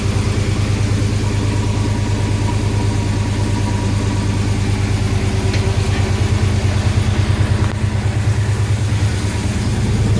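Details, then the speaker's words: 1970 Coronet with swapped 6.1 HEMI V8, first start: lumpy, uneven idle with a loping beat about two per second under the exhaust rumble; cylinders 8, 6 and 4 dead because their injectors weren't firing, while 1, 2, 3, 5 and 7 fire. "i figured out that the um injectors uh weren't firing so cylinders freaking eight six and four were not firing cylinder two was and then one three five and seven were but for some reason these weren't"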